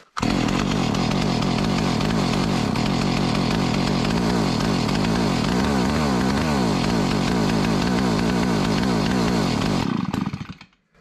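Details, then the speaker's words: 43-year-old Stihl 028 Wood Boss chainsaw: it runs with an uneven, hunting beat as firing drops in and out. The owner suspected intermittent spark, but a test light showed the spark is good, so the misfire cause is still unknown. "so listening to this thing run I have a feeling it has intermittent spark"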